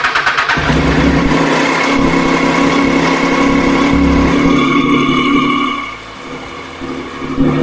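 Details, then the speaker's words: Triumph Street Triple R after reconnecting the fuel line clips, fuel pump now heard: engine catches within a second, revs smoothly, settles to a steady even idle; clean start, fixed. "All good now."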